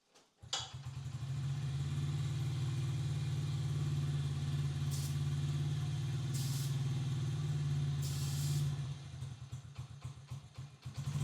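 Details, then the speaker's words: Honda XR50 single with a fresh rebuild: brake cleaner sprayed at the head gasket makes the steady idle stumble and drop, revealing an air leak; head possibly warped or the old gasket not cleaned. "I'll spray brake cleaner right here on this. That's where your head gasket is, and you can hear the idle just drop."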